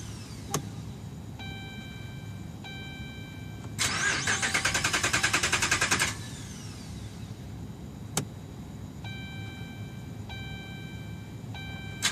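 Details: 2011 Dodge Ram, about 75K miles: chime tones, then about two seconds of steady cranking that never catches, then chimes again; no start caused by defective Totally Integrated Power Module, replaced under warranty.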